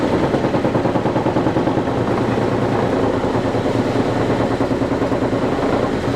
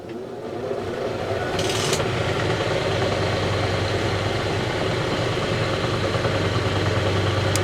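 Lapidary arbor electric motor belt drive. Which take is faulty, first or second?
first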